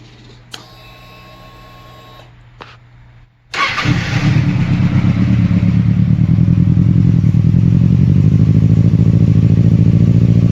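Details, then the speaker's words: 2007 Kawasaki Ninja ZX6R lacking power: chirps at key-on, then starts and idles roughly with an uneven, lumpy beat, running on three cylinders; bad spark plug or coil pack suspected, fixed with coil pack. "my bike it's running on three cylinders and uh you can hear it sounds like a 250 or like a 650 like it has a different sound"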